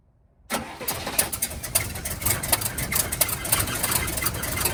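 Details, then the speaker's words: 1971 Cadillac Coupe DeVille that sat 15 years in a backyard, first start on starter fluid with fresh 91-octane fuel (white sediment in tank): catches, then runs ragged with irregular pops and surging, stumbling idle; owner suspects fuel starvation. "so so as you guys saw the car pretty much started and wanted to idle it feels like it's not getting fuel"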